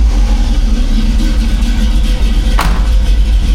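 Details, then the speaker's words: 1985 Chevy C10, cammed, new Holley 4160 600 CFM carb after fast idle turned down, cold after sitting hours with the choke fully closed: starts and settles into a steady, even fast idle with no stumble; normal cold start. "Sounds good. Now we'll wait for that choke to open up."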